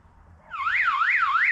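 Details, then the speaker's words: Electronic siren fitted in 1992 Chevy G30 van, tested after installing a battery: starts up and wails smoothly up and down about three times a second in a clean steady sweep; siren works, though the PA does not. "Sirens work that's that's good"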